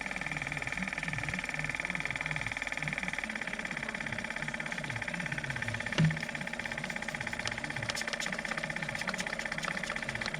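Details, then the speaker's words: Electric pump on a GMC cab-over landscaping truck, running on key-on during soapy-water leak check: sluggish, uneven chugging strokes about three a second, slower than normal; a dead battery is suspected, confirmed when jump box speeds it up. "you know what i bet this battery's dead in this truck this thing normally runs a lot faster"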